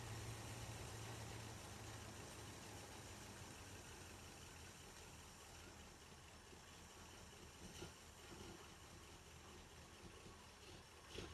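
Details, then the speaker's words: 1981 Jeep Wagoneer Limited V8, carbureted, after sitting 20+ years, oil pressure present: steady, even idle on its own, quiet, with no misses or knocks; normal idle. "That thing idles by itself flawlessly. Well, I shouldn't say flawlessly, Can never be too sure. We were scared because that sender is obviously junk. She's quiet, and she's idling good."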